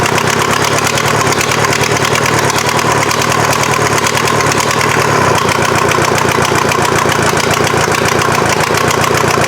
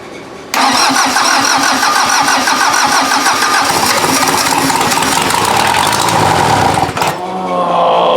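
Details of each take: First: Mazda off-road truck with a swapped Volkswagen diesel engine on its first successful start: dense, regular diesel clatter at a steady, even idle. Normal diesel idle, though the injection pump still needs tweaking and some smoke was seen. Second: VW diesel engine swapped into an off-road Mazda, first start: it catches abruptly and clatters unevenly for about six seconds, stumbling and dipping before picking up, and struggles to keep running. The injection pump still needs tweaking; a head gasket is suspected because of smoke.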